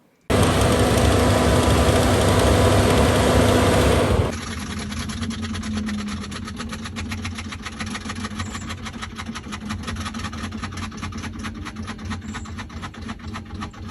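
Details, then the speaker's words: 2021 Tesla Model Y, heat pump octovalve heating system in cold weather: loud rushing burst fading into steady rapid ticking about four a second over fan hum, an abnormal heater noise in a new car, cause unknown. "Just not a normal sound for a brand new car, right?"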